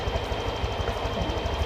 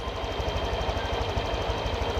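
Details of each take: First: Honda automatic scooter (Vario 125/150) after idle screw adjustment, about 1,500–1,700 rpm target: small single thumps evenly at steady idle, no misses or surging; normal idle. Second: Honda Vario 125/150 automatic scooter, idle screw turned half a turn clockwise: a quick, even single-cylinder putter idling steady but raised, likely above 1600 rpm against a stated 1500–1700 rpm range.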